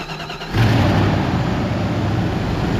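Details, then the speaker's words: Cheap used 4x4 truck V8, starting and idling. The starter briefly churns, then it catches and settles into a steady, even idle with no ticking or knocking. It has a suspected rear main seal oil leak and a coolant drip. "sounds good no ticking or anything like that"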